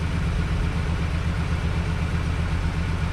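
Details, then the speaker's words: 2011 GMC Sierra 1500 (110,000 miles) on its first start with a junkyard replacement engine after the original seized: a smooth, even, quiet low idle with a steady beat and no ticks or knocks, gauge still cold. Normal idle. "But How about that? It's quiet."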